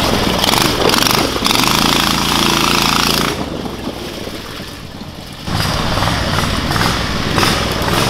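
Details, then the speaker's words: Predator 670cc single on Yerfdog Spiderbox kart, stiffer governor spring now holding about 3600 rpm (was ~2000); strong steady pull with clean surges under load; normal running under governor. "the governor doesn't I mean the governor still kicks in but it holds it around like probably 3600 RPMs like a normal Predator should"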